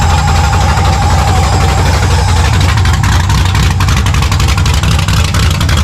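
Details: 1970 Monte Carlo V8 start, long tube headers open without exhaust, running very rich with O2 sensor in free air, vacuum leaks found: loud deep even rumble, no knocks or ticks at idle and revs; normal running.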